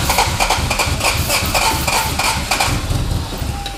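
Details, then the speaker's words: Abandoned Toyota MR2 being revived after a fuel change, new battery and starting fluid, in neutral: steady cranking about three beats a second, nearly catches then fades; won't start, fuel supply suspected. "oh-ho-ho it's trying oh it's close all right let it cool down for a little bit"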